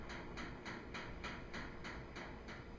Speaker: can hear it slowing down and All That Remains is lid will unlock and cycle completes